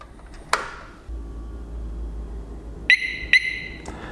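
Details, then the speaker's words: 2021 Harley-Davidson Road Glide Special with Security Siren 2, engine off: two sharp high chirps about half a second apart as the alarm arms; normal alarm arming chirp. "there it is so that is the Harley-Davidson security siren 2 which I have installed on all bikes the CVO came with it but I liked it so much I put on all the other bikes again just that audible warning that your alarm is is either engaged or disengaged"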